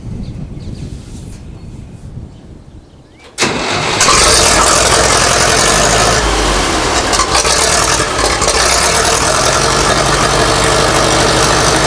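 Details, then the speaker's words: 1960s Massey Ferguson 165 tractor after refitting a gasket suspected of a vacuum leak: engine cranks, fires promptly and holds a steady, even idle with no stalling or hunting. "Well, guys, that's going to do it. We got the old 165 up and running again."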